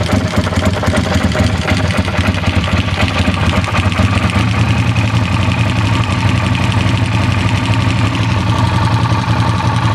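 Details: Yamaha TRX850 engine: steady low idle with a faint, uneven ticking rattle running through it; abnormal engine noise at idle, cause not yet identified.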